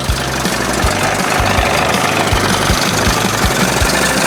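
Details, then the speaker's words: 1981 20 hp Evinrude two-stroke outboard that had been running cold, after powerhead flush and new thermostat and gasket, warm and steaming in a test tank: steady idle with even low popping pulses, slightly uneven but settled; best it has run, still needs tweaking. "Well, don't sound too bad right [music] there. Little tweaking. Sounds good. That's the best she's done so far."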